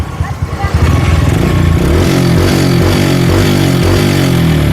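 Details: Yamaha Jupiter Z (old model, same as Vega R New) carburettor bike, after fixing a mid-RPM rough sound: picks up from normal idle into a firm, even mid-range rev with no stumble or flat spot; clean carburetion.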